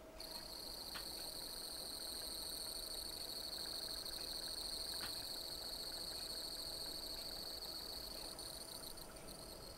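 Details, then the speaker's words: Mercedes SL600 passenger-side throttle body motor, bench-spun forward: thin steady high-pitched whine with rough buzzy edge and slight vibration; worn front motor bearing, runs slower than replacement motor, reverse direction quiet. "okay so you can hear the motor spin making a noise in there"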